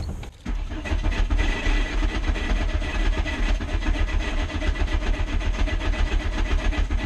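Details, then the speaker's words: VW Mk2 GTI with fuel cuts, just after replacing the in-tank fuel pump; starts but engine pulses unevenly, lumpy and stumbling instead of a smooth idle, cause unknown: rough running. "all right so that's what my car is doing I'm not really sure what's wrong with it"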